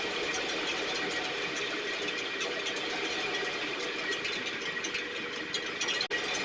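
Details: STIHL backpack blower (believed 6R450), after cleaning and repair; idle previously fluctuated and couldn't be adjusted. High buzzing two-stroke note holding level, no surging or dropouts; running much better but still loading up slightly, internal carbon buildup suspected.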